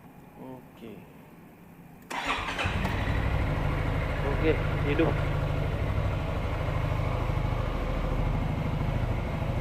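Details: Yamaha X-MAX scooter after fuel system service for a rusty tank that blocked fuel and caused no-start: engine catches after a short crank and settles into a steady, even healthy idle with no misses or knocks.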